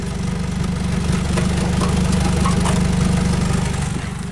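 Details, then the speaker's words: 2008 Nissan Versa stranded with seized A/C compressor, belt off: loud, deep raw idle with hard even pulse; exhaust pipe rusted clean off ahead of the rear muffler, loudness noticed alongside engine speed surging. "the other little piece of information is the exhaust pipe on this thing is rusted clean off before the muffler towards the back so the muffler is all the way back here and the exhaust pipe is breasted off"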